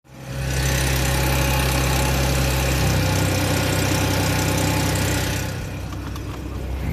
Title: 2009 A6 3.0T timing chain rattle?